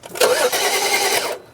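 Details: 2011 BMW 335i, towed in with crank-no-start complaint (DTCs 2DD6, 2DCF), cranked after reconnecting two disconnected ignition coils; about a second of fast, even cranking without catching.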